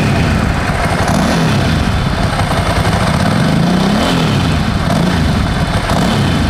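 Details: 17-year-old Ducati 1000 DS V-twin, restarted to focus on the exhaust note: deep, steady, lumpy idle beat, even and loud with no misses or rattles; healthy exhaust note.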